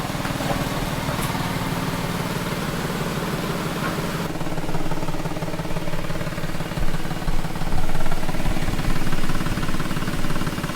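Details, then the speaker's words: 2006 Nissan Xterra at idle: quick, uneven puffing tick on the exhaust note, about four per second; exhaust leak, mainly a cracked weld on the catalytic converter, before a JB Weld muffler cement repair. "So, as you guys just saw in the intro, it sounds like the Extereroa has an exhaust leak."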